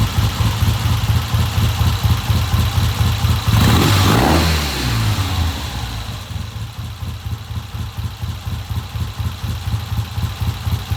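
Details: 1970 Triumph twin with a hard-starting history, just fitted with a new Premier carburetor: even, lumpy twin idle, one clean throttle blip that drops straight back to steady tickover; healthy, normal idle.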